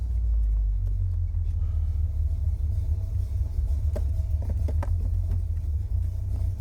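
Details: 1981 Chevy Corvette, brand-new V8 after electric fan, fuel line and filter, and spacer for overheating. Deep, steady low rumble with an even beat and no knocks or squeals. Normal idle; owner suspects a bad thermostat from a bouncing gauge.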